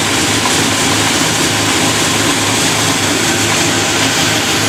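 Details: Fresh supercharged 408W stroker V8 first start and revs, recorded from inside the car: loud even rumble with a steady pulsing beat and strong blower hiss, no knocks or rattles; runs clean.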